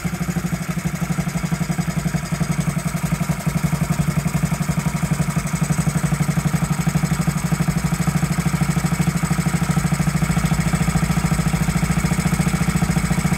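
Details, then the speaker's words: 1969–70 Honda Z50 minibike idling after 35 years unused, with idle air being adjusted, points and carburetor not cleaned; small single putters at a low, even idle, steady beat, no misses, healthy. "there you have it running after 35 years first like a kitten didn't even have to clean the points or the carburetor amazing"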